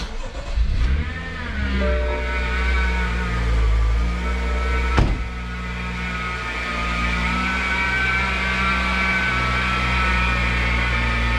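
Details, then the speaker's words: BMW X5 hot engine at idle: steady high whine from the driver's side of the engine; worn driver's-side idler pulley, to be replaced with serpentine belt. "You can hear that whining noise. It's pretty bad. You should not hear that. It's definitely coming from this side of the motor."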